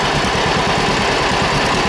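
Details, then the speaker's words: 1946 John Deere B two-cylinder, about an hour and a half of running, still breaking in: loud steady evenly spaced pops at slightly raised speed, blowing out of open petcocks (compression relief valves), no smoke; runs healthy. "You can hear it blowing out of the petcocks there with the pressure relief valves, whatever you want to call them. She runs good, doesn't smoke."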